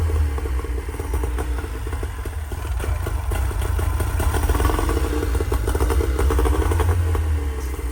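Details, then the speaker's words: Tohatsu M3A3 30 two-stroke outboard after replacing carburetor, fuel pump, fuel filter and fuel lines, still warming up: steady, even buzzing idle with a light rattle, no stumbling or misses, no fuel leaks; normal idle. "You know, after they warm up, they'll idle a little better. But yeah, I don't see any fuel leaks anywhere."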